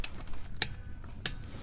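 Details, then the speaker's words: 1/2-inch drive torque wrench tightening bolts in a crisscross pattern, first sequence at 25 ft-lb: three crisp sharp clicks about two-thirds of a second apart as the wrench breaks over at set torque; lighter torque gives a softer click. "And you can hear it's going to click. But the lighter the torque is, the less it's going to click."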